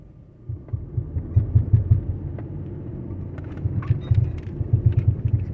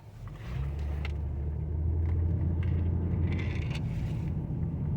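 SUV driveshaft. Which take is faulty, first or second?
first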